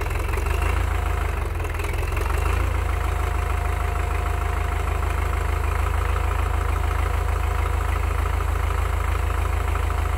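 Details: Belarus MTZ-82 water-cooled diesel tractor at idle just after a cold start following a night below -25°C (-13°F, low -26.1°C), with the hydraulic oil still cold: a steady, heavy low rumble with rapid, even clatter. Normal cold-start diesel idle.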